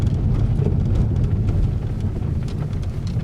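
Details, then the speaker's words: Peugeot 3008 THP, front suspension noise complaint, road test on test street after repair: steady low road rumble with no knocks or clunks; the earlier suspension banging is gone. "nossa rua de teste aqui ó já é vê lo e que não têm mais nenhum tipo de barulho"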